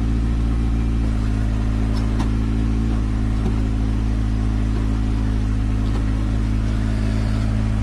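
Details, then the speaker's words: Suzuki X-90 manual transmission, noisy for about a year and sometimes hard to engage gears: constant low drone with faint whirring hum while running with clutch engaged, going away when clutch pedal is pressed; suspected clutch/gearbox, clutch being replaced. "It goes away when you put the clutch in."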